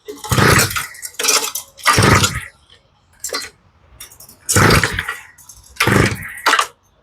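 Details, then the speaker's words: 48cc Power Horse tiller, used once then stored for years, leaking gas, primed on full choke: repeated recoil pulls spin with no catch or firing, no fuel reaching the engine through the carburetor; carb to be rebuilt. "Absolutely nothing. And I kind of had a feeling that was going to happen. We've got no gas going into the motor at all through the carburetor."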